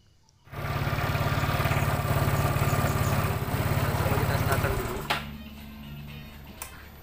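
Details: Yamaha Mio Sporty, previously thirsty and gutless with an RX King carburetor fitted, test-started after swapping to a Honda Beat carburetor; quiet, then catches first try with a steady, even putter settling to a calm idle, starts cleanly.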